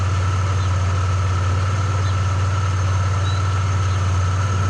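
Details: Car after fitting a remanufactured alternator and new drive belt tensioner, charging at 14 volts: steady, even low hum at idle with no squeal or bearing rumble from the belt side; the engine idles cleanly.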